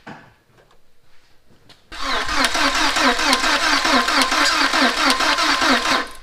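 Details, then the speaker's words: 2000 VW Passat 1.8L turbo after head and timing belt replacement, first start, battery thought weak: starter churns steadily at about two even compression beats a second but never catches; crank-no-start, owner suspects timing 180° out or unplugged mass airflow sensor. "now we got to figure out what's going on with the no start it does sound like it's got compression which is a good thing"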